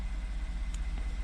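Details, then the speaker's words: 2014 Ford F150 3.5 V6 EcoBoost, ~91k miles, after new Motorcraft plugs and Duralast coil packs fixing P0303 cylinder 3 misfire (bad coil pack): low even rumble, no misses or stumbles; normal idle, zero fault codes. "And it already sounds and appears to be idling much smoother. No vibration like it was before. No stumbling."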